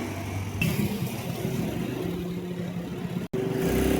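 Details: Mio M3 125 scooter (Sip 125) retested after replacing burnt, unevenly worn stock clutch lining and bell: steady, even engine hum pulling away with no judder or rattle from the clutch; running normally.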